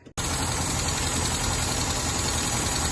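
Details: Rootes 1725 engine with twin Stromberg carbs and electric fuel pump, previously a non-runner burning water in the fuel, now on fresh battery: catches and settles into a steady, even run with no misfires or stumbles while warming up, air filters off.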